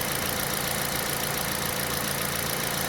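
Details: Aging Kia All New Picanto idling after replacing the alternator with a MIRE unit for low charging, new battery; charging now reads about 14 V. Steady, even idle with smooth hum, no squeal or chirp: normal idle and charging.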